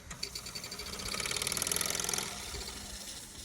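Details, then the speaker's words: Mamod Steam Wagon running slowly while the regulator is adjusted: light, quick ticking chuff at about three to four beats a second that eases off gently. Small steam engine running freely, normal. "very nicely just slowly it just takes a bit of time with the regulator to get the air perfect there we go"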